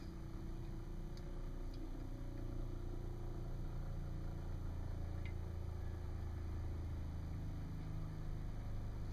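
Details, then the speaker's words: Dometic-Sealand Traveler RV toilet after water valve repair, water pump running and system not yet fully pressurized, valve still leaking at brass fitting: low, even buzzing drone, no knocks or surging; normal pump operation. "Pump's running, pressure's coming up."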